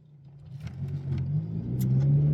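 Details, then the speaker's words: Honda Civic FN2 Type R with old aftermarket exhaust, driving and revving into VTEC: deep, boomy low rumble swelling as revs rise, noisy and droning, worst at low town speeds, trombone-like and farty. "um it's quite noisy that's a bit of VTEC I think that the worst part for me I think is low speeds uh sort of doing around town um and it feels a bit a bit trombony a bit sort of a bit farty I guess if you like"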